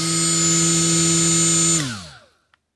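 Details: Milwaukee M12 die grinder with a good Roloc disc fitted: steady high whine held evenly, then a clean, smooth spin-down with no wobble or rattle. Normal running, disc balanced.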